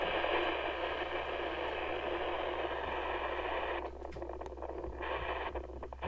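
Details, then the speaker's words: HAM International Multimode II CB radio transmitting: rough, hissing carrier with steady noise and no clean tone; unstable VCO fault, reference oscillator steady, freezer on C11 made little difference; suspected C11 failure. "so as you can hear it's still not very happy at all so I've got the frequency counter monitoring the reference oscillator and it seems to be steady"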